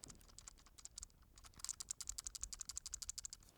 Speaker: Can you hear that rattling? That's these small switches. They move around and they are not firm enough in the case.